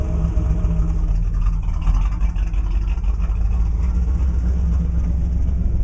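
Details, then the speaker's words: 1987 Camaro IROC-Z V8 on cold start after sitting for days: deep, loud, lumpy uneven idle, rpm fluctuating drastically from below 500, disappearing as it warms; cause unknown. "it fluctuate quite drastically at idle and then as it heats up it disappears but I'm trying to figure out what's causing this"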